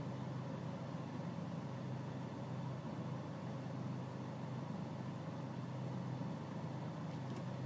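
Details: BMW E46 320cd 2004 automatic facelift diesel at tick-over: clatter with a slightly lumpy, uneven beat underneath; rough idle, cause not obvious.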